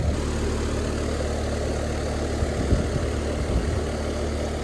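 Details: ICP Carrier heat pump after TXV replacement, running about 15 minutes, subcooling near 11 and the valve working, possibly a tad low on charge. Steady low compressor hum with even fan rush and no knocks or squeal; runs smoothly.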